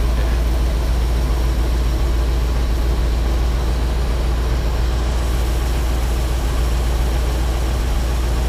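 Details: Ford F750 haul truck, stock 1974 Ford 391 engine, before engine pull: deep steady quiet low rumble at idle, no knocks or misses; it won't run past idle but idles healthy.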